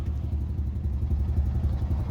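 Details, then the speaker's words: Mazda RX-7 rotary that died on the road, cranked with the fuel pump off. Lumpy, uneven chuffing with irregular pulses, as if no compression on two rotor faces, then it dies; owner suspects a blown apex seal. "Oh, it sounds so bad. And she just died."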